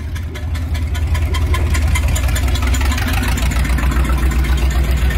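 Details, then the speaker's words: 1978 Dodge W100 Power Wagon V8 at idle on its old exhaust, before long-tube header install: deep lumpy idle with a sharp puffing chuff on every pulse; exhaust leaking badly. "Hear that old exhaust is just leaking nasty, so we're gonna get these long tubes on, have it not only sounding good but looking good too."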